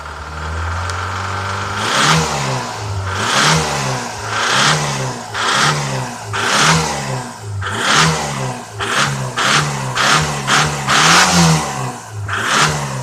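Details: Jeep Comanche engine, repeated throttle blips, with rattly clatter on each rev and smoke; engine knock.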